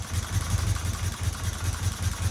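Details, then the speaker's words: 1977 Fiat 124 Spider barn find, sat nearly 25 years, first start after a bad starter was fixed, fed a squirt of gas with no fuel in the lines: uneven, lumpy low thumping with stumbling, misfiring beats at idle, barely staying running. "Holy crap, it's running. Barely."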